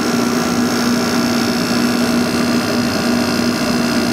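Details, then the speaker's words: Probably late-1980s Emerson Quiet Kool 6,300 BTU window air conditioner: steady low hum, soft constant tone and gentle air rush, no rattles or knocks; runs quietly and normally. "but this thing is pretty quiet my purchase"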